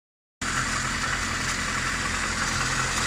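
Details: Warm engine at idle with a steady low drone and a faint knock three to four times a second that grows with throttle. Alternator and rollers were checked; oil is leaking everywhere and a gasket change didn't help; abnormal engine noise at idle, cause unclear.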